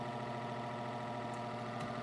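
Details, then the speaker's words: Mid-to-late 1980s Sears-rebadged Lasko 2150 12-inch desk fan, before cleaning and repair, on medium: steady coarse electrical buzz with hum, worse at higher speeds, like vibration or buzzing; cause not yet found. "On higher speeds it gets a lot worse. Almost sounds like a vibration or a buzzing."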